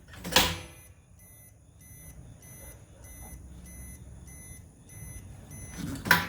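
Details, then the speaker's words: EZGO Express S4 golf cart, new combo light-alarm mounted in the dash panel, soft even muffled beeping about twice a second between handling thumps, much quieter than on the bench; reverse alarm working normally. "i don't know why but now that it's mounted up it's significantly quieter than it was on the test bench earlier i think i'm really going to enjoy that"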